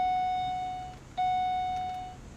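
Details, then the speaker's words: Pontiac G8 on a newly programmed key-fob chip; two long steady beeps about a second each with a short gap after the engine cut out, expected to show the engine immobilized: immobilizer warning chime. "Now, if this is the new one, if this doesn't work, it will tell me that the engine is immobilized."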